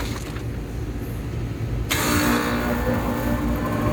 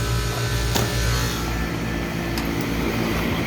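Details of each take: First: Old Lennox HVAC condenser with no cooling and a tripped high pressure switch, fan motor tight: fan spins up with steady hum and dry whirring, then coasts down fast; worn condenser fan motor bearings. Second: Old Lennox HVAC condenser after replacing the worn fan motor, new motor drawing about 0.7 A (rated 0.75), jumpered on: steady low fan hum with smooth airflow and no scraping or rattle; fan running quietly.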